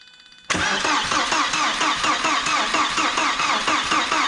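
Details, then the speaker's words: Audi A4 1.8T, 144,000 miles, revived after sitting in a barn: steady starter cranking at about three and a half beats a second, never catching; no fuel pump heard running, so no fuel supply; crank, no start. "you want to see if it'll spin on the starter can't hear a fuel pump no few warnings"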